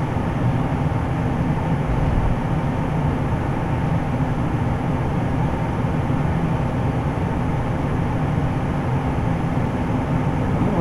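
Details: Carrier Infinity GreenSpeed 25VNA inverter heat pump outdoor unit starting in cool mode, same as in heat mode: steady low rushing hum with faint thin high whine, even; sounds odd at startup but this is normal.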